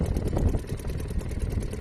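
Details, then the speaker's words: Restored Seagull 40 Plus outboard engine running in the sea after warm-up, testing throttle response; busy, even two-stroke burble with steady low beat, no misses or knocks: normal running. "Here we go, wish me luck. Yeah, it's beautiful. It's doing everything it should."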